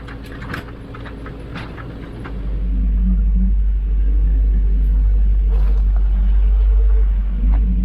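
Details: Freshly rebuilt 454 Big Block Vortec Chevrolet in pizza truck, first start, oil pressure 50 psi, put in gear; steady even V8 rumble without knocks or ticks, slight paint smoke from manifolds; normal idle.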